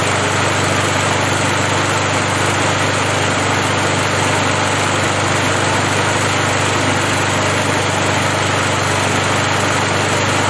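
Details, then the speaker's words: 37-year-old Montgomery Ward mower, Briggs & Stratton 3.0 hp 92502 Vacu-Jet carb, after choke diaphragm replacement for hard hot starting: even, steady drone at half throttle after hot restart, no misses or surging; fixed. "well i think it's safe to say it's fixed and we'll call that job done"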